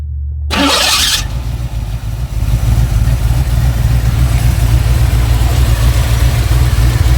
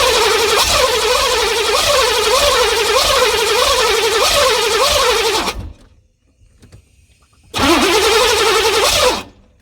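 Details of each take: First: 1986 Chevy C4 Corvette TPI 350 with 700R4, fuel injection swapped for intake and Holley 650 carburetor after rusted injectors; starts after short crank, settles to smooth even idle, no misses; unadjusted, choke not hooked up, loading up a little. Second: 1986 Chevy C4 Corvette TPI 350 cranking with fuel pump wired direct after suspected failed relay and no fuel pressure; starter churns about two turns a second without firing; crank no start, rust later found in injectors and fuel rails.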